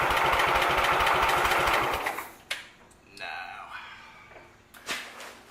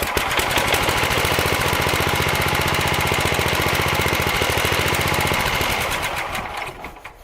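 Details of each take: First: Sears Suburban tractor, carburetor greased and refitted, spark confirmed, float heard bouncing, half throttle: starter spins fast and evenly for about two seconds but the engine never fires; carburetor suspected. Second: Sears Suburban SS12 garden tractor, believed 1970, after new carburetor float: quick even putt-putt holding steady then winding down at shutdown; runs fine.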